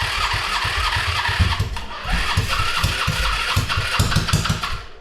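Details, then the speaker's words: Baja Dune engine with no carburetor fitted, starter solenoid jumped and starting fluid sprayed into intake: starter churns in steady pulses about two per second with occasional stronger puffs as it tries to catch, but never fires; cranks but will not start. "I was able to get it to want to fire off because there's no carb ton of air didn't actually fire off"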